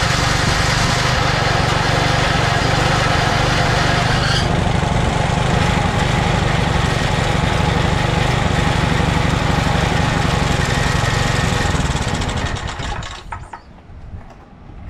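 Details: 2007 McLane reel mower small engine after a carb clean, on choke at fast throttle, running on fuel poured into the carburetor bowl with no tank fitted. Fast, even buzz at high idle for about twelve seconds, then dies off; normal running.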